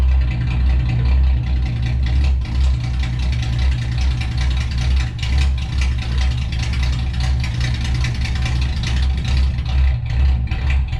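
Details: 1962 Ford Falcon, Ford 200 inline six, after oil pan and motor mount work: low, uneven lumpy wandering idle with no steady rhythm; rough running, owner suspects tune-up, dirty carburetor or fuel pump.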